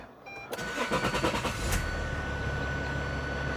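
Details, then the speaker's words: Renault diesel after wheel work to cure a knock: cranks roughly about a second, catches and settles to an even idle with an odd noise underneath; source unknown, knocking still heard at the back. "I don't know what that noise is, but I do hate it."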